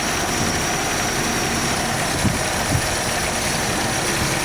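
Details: AMC Jeep carbureted engine: even, steady idle with no hunting or racing, only a soft low rumble; engine sounds settled and healthy.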